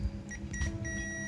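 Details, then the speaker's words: TOA ZA 2120 amplifier, removed C5198 NPN output transistor tested on meter buzzer scale: steady, unbroken high beep across base, collector and emitter legs where there should be none; all three legs shorted, transistor to be replaced. "nyambungnya kayak short ya. Ini seharusnya tidak seperti itu. Ini berarti short."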